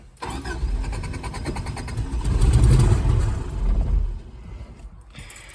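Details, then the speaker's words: 1984 Subaru Brat (84 or 85), 4-speed dual range 4WD, sat about 10 years: starter cranks steadily with even compression pulses but never fires; no fuel pump heard, some oil pressure; cranking no start from fuel starvation. "She tried. I don't hear a fuel pump. Interesting. It does have a little bit of oil pressure, so that's good."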